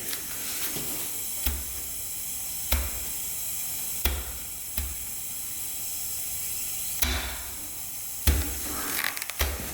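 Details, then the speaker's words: 2006 Yamaha YFZ450 quad, engine off during leak-down test: steady air hiss with handling knocks as air comes up through the radiator, filling the cooling system; head gasket leak. Seller reported white smoke and ticking. "so air is coming up through there and watch this you put your finger in the radiator here so it's being filled up with air"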